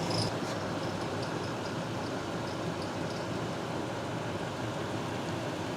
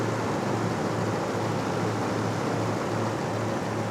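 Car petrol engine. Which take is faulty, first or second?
first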